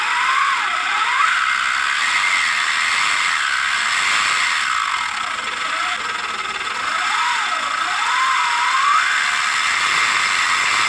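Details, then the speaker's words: Motorcycle engine cam chain of the silent type: a light, even hiss and whine that rises and falls with engine revs, no knocks or rattles; normal silent-chain noise. "as correntes utilizadas nos motores são do tipo Silent ou seja são mais silenciosos que as correntes convencionais mesmo assim elas emitem chiado não muito alto que acompanha a rotação do motor"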